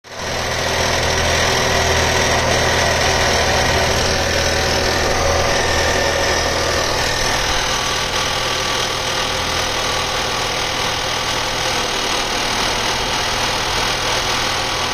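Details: 2020 Volvo V60 B5 petrol with 21k mileage; fast, fairly even ticking rattle of about four per second over the hum, getting louder with higher rpm; with the engine cover off the owner thinks it comes from around the fuel pipe, cause unconfirmed.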